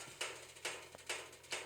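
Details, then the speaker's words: Propane heater just shut off, pilot light off: sharp dry pops about twice a second, normal as the heated metal contracts while cooling. "that's normal because this this metal heats up and then it's contracting back"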